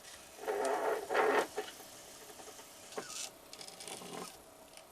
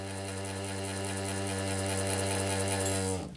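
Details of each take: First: Revived quadraphonic 8-track player during a channel test; all four amplifiers work. Two short scraping creaks, then faint mechanism noise: the cartridge tape is tangling in the transport, and the tape was ruined. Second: Old quadraphonic 8-track player, long stored and powered from a bench supply, tricked into sensing a cartridge. The capstan motor hums smoothly at a steady pitch for three seconds, then winds down cleanly at power-off. Normal motor run.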